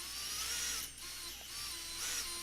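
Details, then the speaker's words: High, rough whirring with a gritty, wavering edge, coming and going, from a micro FPV drone motor (motor one) spinning around 56,000 rpm max; worn motor bearing. "oh nope hear that gross yeah so that's the bearing"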